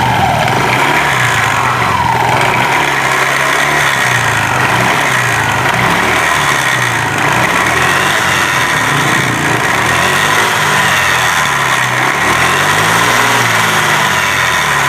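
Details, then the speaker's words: Honda Vario 125 scooter revved: loose, uneven clanging from the CVT that worsens under hard throttle. Suspected worn roller housing or rear pulley; not confirmed. "Denting, denting, denting, denting. Oh, sekarang ayo kita gas. Saat digas kencang, keadaannya malah semakin buruk, saudaraku."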